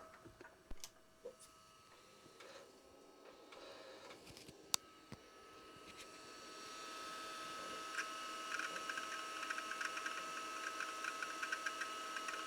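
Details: Amiga 2000 with a SCSI SupraDrive removable and SCSI Zip drive, starting up: a quiet room, then drives spin up to a soft whir with quick, even seek ticks about two or three a second. Healthy startup.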